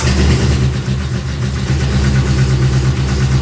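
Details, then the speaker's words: Dodge Neon race car (car 34) with a replacement engine on first start: lumpy, weak chuffing about three beats a second, barely catching; low compression, which the owner attributes to collapsed lifters. "The lifters in these things collapse, and when you first try and start them, they never have compression."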